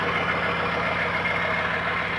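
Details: 1995 GMC 6.5L turbo diesel with a new used PMD fitted, idling after cold start: even, steady diesel clatter, no misses or surging; normal idle.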